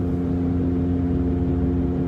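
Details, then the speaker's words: Saturn Ion at 55–60 mph on cruise control: a steady low droning rub like a boat engine, also heard from 15 mph, loud enough to rival the music. "if i put on cruise control you can still hear it it sounds kind of like a boat engine the way that it rubs it's making that weird rubbing noise"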